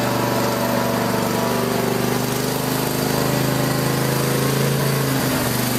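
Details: Craftsman lawn tractor after no-start repair, idle over a year, full gas tank, warming up outside: steady, even single-cylinder putter, no misses, knocks or hunting; normal running.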